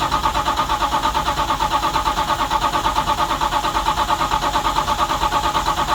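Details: 1970 Dodge Charger "Jezebel", 640hp Mopar stroker with four-speed transmission still separated, revived after sitting long, fresh battery: starter spins briskly and evenly, about two compression beats a second, but never catches. Tank found empty; crank, no start, no fuel.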